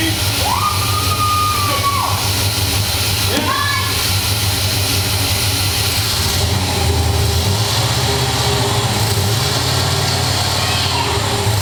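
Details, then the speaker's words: Rebuilt 1973 International Scout II with fuel injection, first fire after priming and fluid fills: the engine catches and holds a steady, even idle with no obvious knock or miss, under some background noise; it runs properly. "oh it sounded so good"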